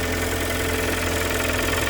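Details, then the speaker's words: Kia Sportage 3 2.0 G4KD, under 105,000 km, cold start before overhaul: steady idle with a dull, rapid knocking under the engine note; internal engine knock that led to a full engine rebuild. "Так, это сейчас холодный пуск. 105 тысяч даже нет. Веселый перестук. Все чистенько. Вот так он работает до ремонта."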